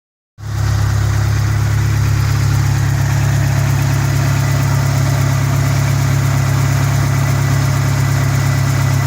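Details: 1991 Dodge Spirit ES 2.5 turbo four-cylinder, 5-speed, finally started after years of no-start, now idling with a steady, even low rumble and no knocks or misses; fuel pump (Viper pump fitted ~18 years) was the cause.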